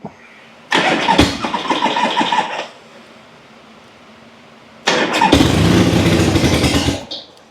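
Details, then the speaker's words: Harley Ironhead started with no choke, fuel turned on and a couple squirts of throttle, push start: catches fast, two short bursts, even lumpy twin beat; starts cleanly, no odd noises, no leaks. "Oh yes, sounds good, rides good, runs good. What more can you ask for out of an Ironhead?"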